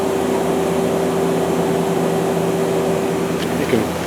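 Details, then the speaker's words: 2001 Okuma LB200MW turning and milling center, sub spindle run at 2000 RPM: steady, even hum with constant tone over shop noise, no knocks or grinding; bearings good, normal spindle running. "that's 2,000 RPM and the bearings are all good you can hear them"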